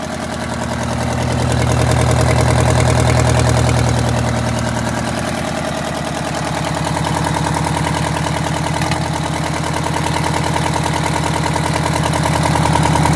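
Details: Detroit Diesel 8V92TA in a Wanderlodge RV: loud, rough idle with an uneven chuffing beat that persists when revved. A cylinder is missing from a bad injector and scored, cracked liners; the engine was also smoking.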